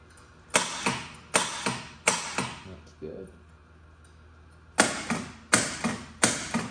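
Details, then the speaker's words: Gottlieb Spirit pinball machine during restoration, first power-up after fitting fuses, coil test: crisp single clunks in two groups of three, each sharp and solid; normal solenoid coil firing. "I'm going to run it through the coil test next. Yeah, that's good."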